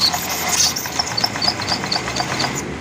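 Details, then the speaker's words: Honda Vario 125 (old model) scooter that arrived stalled and running rough: sharp, light, even ticks about four per second over an engine hiss, heard at the CVT area. Oil found mixed with coolant from a leaking water pump seal; the tick's cause is unconfirmed. "Kita dengarkan juga di bagian spool. Ada suara cik cik cik cik cik gitu."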